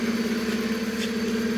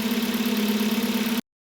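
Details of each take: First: Hyundai Solaris 1.6 G4FC, first facelift, manual, running on gas (LPG), about 443,000 km, high oil consumption: rough idle with a fast, even pulsing hum and a hard, tinny edge on each beat; worn pistons knocking. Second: Hyundai Solaris 1.6 G4FC manual on LPG, 443,000 km, after repair for oil consumption and piston knock, heard from outside while warming up: smooth even idle, steady pulse, no knocking or tapping; engine healthy.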